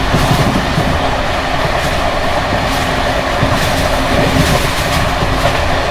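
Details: Bd264 481 coach (built 1979), Görlitz V bogies with many kilometres since last major maintenance, evening express at speed on uneven line 190 near Hluboká nad Vltavou–Číčenice, heard from compartment or open window: loud running roar, loose metallic rattling, rail clicks; worn brake gear bouncing.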